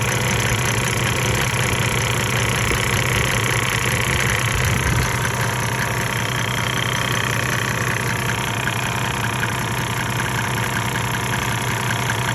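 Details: 1998 Mercedes-Benz E300 OM606 diesel, 185,000 miles, at 9,000 ft, before Diesel Purge, smoking: idle clatter with an uneven, lumpy beat under a steady rumble; rough idle, owner suspects injectors.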